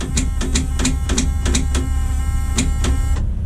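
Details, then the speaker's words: 12V71 diesel race truck engine (about 1800 hp) after sitting several years: sharp metallic clacks about three times a second with no cranking; starter solenoid copper contact disc stuck and corroded from rain. "Is that the starter just a clacking? Yeah, here in Oregon it rains here. Yeah. That little copper disc in there for the contact for the Solenoid's stuck."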